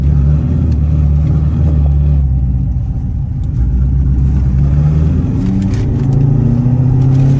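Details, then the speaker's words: C7 Corvette after cam replacement following failed cheap eBay lifters, test drive before the dyno; smooth even low drone at steady pitch while cruising, no tick or knock over road noise; normal cruise. "Driving pretty good. Yeah, this thing is cruising down the road nice and smooth."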